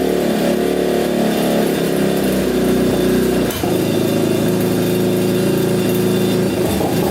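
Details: Yamaha Warrior 350 quad, year unknown, after carburetor cleaned and fresh gas fed: single cylinder idles then blips with a lazy, burbly note, still sounding really rich; exhaust pipe suspected.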